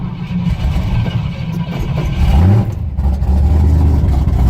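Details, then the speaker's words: 1966 Ford pickup V8 after new bank 1 exhaust header gaskets and retightening the loose collector bolts: deep burble rising smoothly with a throttle blip, no puffing or ticking. Exhaust leaks fixed; engine runs normally. "Yes! No more exhaust leaks. Awesome."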